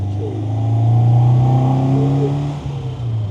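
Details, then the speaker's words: MGA with standard MGB B-series 1800 engine and K&N filter, after 123 electronic distributor fitting and tuning, on road in third gear: engine note climbs cleanly and evenly, no popping or hesitation; smooth, pulls well. "sounds good. It feels fast. Smooth."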